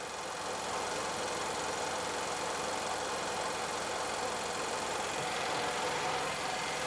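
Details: Nissan X-Trail after replacing a faulty cam sensor for P0340 crank/hard-start complaint and clearing codes: quiet steady idle with even hum, no stumbles or cut-outs; cam signal holding steady, running normally.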